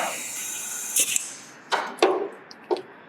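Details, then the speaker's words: 1977 Datsun 280Z L28 engine, leak-down test on cylinder 3 (55% leakage): steady airy hiss heard strongly out of the intake, indicating a leaking intake valve. "I could tell intake valve because I can hear it out of the intake over there pretty strong."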